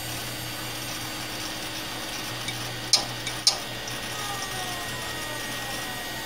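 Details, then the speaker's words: 2006 Western Digital WD5000KS 500GB SATA 3.5in drive, shucked from an external enclosure, failing on spin-up in a socket 939 PC: quiet hum broken by sharp clicks of death; possibly dropped, then cycles off. "okay so it's given up this hard drive is actually bad um either the external hard drive maybe it's gotten dropped at some point um or the hard drive has just failed you could hear the clicks of death"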